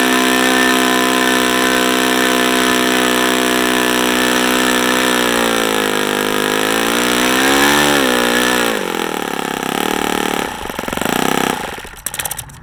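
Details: OS FS-40 Surpass four-stroke glow engine first run, high-speed needle 2 turns open, other settings factory: high steady note swings up and down with throttle then winds off cleanly; normal running.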